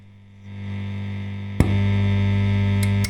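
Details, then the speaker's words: Fender Blues Deluxe-style amp in for a broken standby switch, very noisy: low steady mains hum jumping louder after a click as gain rises; sounds like ground loops, unconfirmed. "so I don't know what that is that's a a bit of a mystery that one but that does sound like ground Loops to me"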